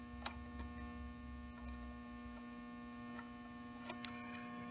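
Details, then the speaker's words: Tube amp with all knobs at zero: constant low mains-hum buzz with handling clicks. The unshielded wire from the preamp tube's pin 1 plate, through the 0.022 coupling cap to the gain pot, is picking up the noise. "so I'm picking up noise through this right here"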